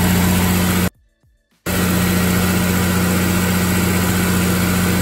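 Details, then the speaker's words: Honda S2000 DOHC VTEC cold start after valve adjustment for tight valves, which had caused a slight cold misfire: even, steady low idle with smooth hum and no skip; running cleanly. "pretty good so far before I had kind of a myth from so the car is now warmed up and listen to it"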